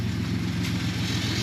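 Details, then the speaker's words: Ford 3.5 EcoBoost just after new turbos were installed. It started a little rough, then the computer apparently leveled it out to a low, steady idle with no knocks or whistles. The check engine light is on, possibly from oxygen sensors. "Started it up. It was a little rough, but then the computer, I think, leveled her out."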